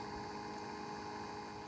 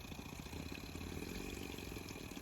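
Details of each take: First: Mk1 Audi TT new replacement auxiliary electric water pump running after engine shutdown, for about 10 minutes; steady low hum with faint whir, normal operation after the leak repair. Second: Mk1 Audi TT auxiliary electric coolant pump, suspected of leaking coolant, running after shutdown following 5 minutes' engine running; steady rough hum with rattly pulsing undertone, pump sounds worn and dying.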